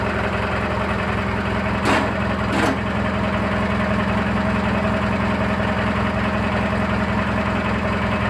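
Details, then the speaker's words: Briggs & Stratton 18 hp opposed twin, after new air filter: steady idle with light, fairly even chatter about eighty taps a minute over the firing; top-end chatter, cause unknown. "Hey boys, we gotta take this back apart. I have a chatter and I don't know if it's what's going on."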